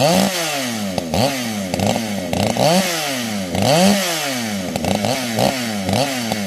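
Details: Fully built 60cc chainsaw, widened-venturi carb, tuned with ignition advance, started with no choke or high idle: snaps from idle to crisp, clean scream and drops back repeatedly without bogging; tune and timing spot on, normal running.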